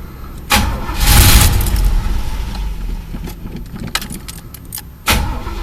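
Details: Chevy El Camino, sat about a month and a half, cranks in short bursts but never catches; owner suspected a bad fuel pump or a grounded gauge, but the broken gas gauge read full and the tank was actually empty.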